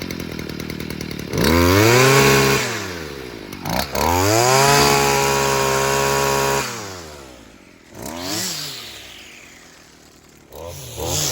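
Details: Stihl FS55R string trimmer two-stroke after carburetor repair (new diaphragm and primer bulb, low-side fuel adjustment), warmed up: crisp snarl climbing cleanly to high revs and back to steady idle, sharp even throttle response; running good, dialed in.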